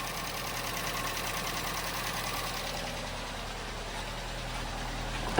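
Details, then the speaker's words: Chevrolet Trax, first start after cylinder head work: busy idle with a fast light valvetrain clatter while oil is still climbing to the top, going quiet once oil pressure builds. "Medyo manaking pa kasi umaakyat pa yung langis mga boss."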